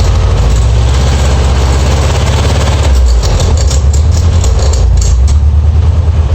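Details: Air-cooled VW Beetle Type 1 idling: heavy, uneven low thump and rough beat near the front; abnormal noise suspected from the alternator pulley area, possibly eccentric pulley.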